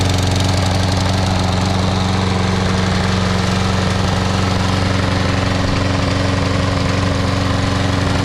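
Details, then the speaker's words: Troy-Bilt 21-inch mower, Briggs & Stratton 675 Series auto-choke engine, after carburetor and gas tank cleaning and new ungapped spark plug: steady single-cylinder chug at idle with an occasional stumble; intermittent miss, cause unknown. "Kind of got this miss every now and then. Not quite right yet."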